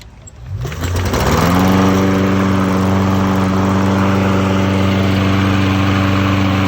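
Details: Toro lawn mower, which had died after 3 minutes from a fuel line restriction, after a new carburetor, fuel line, spark plug and air filter: pull start catches within a second, revs to a steady even drone without surging; normal running.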